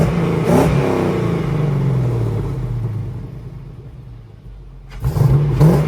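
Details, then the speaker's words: 1965 Ford F100 on a Crown Vic frame with a bone-stock 5.3 LS swap: deep, even V8 rumble swelling cleanly on each throttle blip and settling back without misses or knocks; normal healthy revving. "I love the fact that this truck is very quiet still got a rumble but it's not a obnoxious but once you whip the throttle it does have a sound to"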